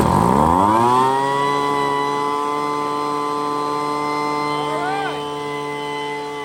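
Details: Poulan Pro blower, bought used with a PP3516AVX chainsaw, started on full choke after priming; the starter pulls very easily. Steady high buzzing two-stroke note settles and holds even, with no misses or surging. Running normally.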